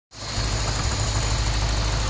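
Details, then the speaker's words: Lexus IS-F 2UR-GSE V8 first start after timing chain, tensioner and guide replacement: steady even idle, no chain noise; injectors loudest, then faint high-pressure pump tick, tensioner slightly noisy at low rpm; normal idle. "is the sound of success this is so quiet I can't hear anything from the timing chain area the loudest thing I can hear are the injectors followed by the high-pressure pump here but it's barely a tip it is silent"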